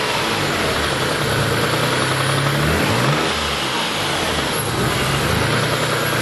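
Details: Mitsubishi 3000GT/Stealth twin-turbo V6 with spun No. 4 rod bearing, caught the day after it happened, last start before teardown and full rebuild: idling and blipping with a dull rod knock tracking revs, fairly mild.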